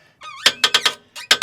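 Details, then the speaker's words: Floor jack lifting the rear of a 2025 Ford Explorer ST during H&R spring install: sharp rising squeals with each pump stroke, about five per second; jack squeaks badly under load. "God, this jack sounds like shit. Oh yeah, that leg workout, guys. It sounds like the Titanic's sinking."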